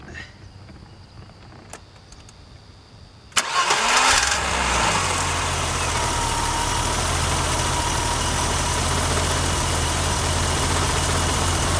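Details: 1988 BMW 325i six-cylinder started after 6 years dormant, following replacement of a locked-up fuel pump: short crank, catches at once, settles into a smooth, even, steady idle with no misses or knocks; first self-run in 6 years, healthy.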